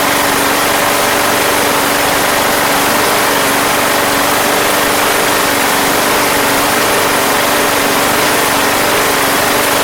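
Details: Craftsman Platinum lawn mower, Briggs 190cc petrol engine, running after a no-start fix with a replacement carburetor: even, steady drone at constant speed, no misses, surges or knocks; gas was seen leaking from the crankcase vent, yet it runs smoothly.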